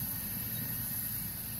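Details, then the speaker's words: Restored 1974 Coleman stove with replaced check valve, generator heated so fuel vaporizes: steady, even roar with low rumble and soft hiss on top; burner running cleanly. "it'll heat up and turn into a vapor and then it'll power through here it comes out with vapor"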